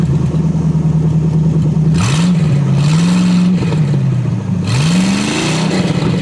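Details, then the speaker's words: 1963 Allis-Chalmers front-end loader with 1978 Monte Carlo 305 V8 swap, after years parked, fuel from gas can: uneven cold V8 beat rising and sagging as throttle is pushed and released, stumbling slightly; needs throttle to stay running. "Whoa, I guess we do need to give it some throttle. Yeah. Push that throttle."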